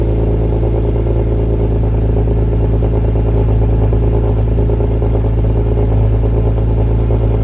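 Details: BMW E46 M3 at idle after fitting Yonaka rasp pipes to a slotted flange with OEM donut gaskets, Megan headers and X-pipe: steady, even, deep smooth rumble with no ticking or puffing. No exhaust leaks, running good.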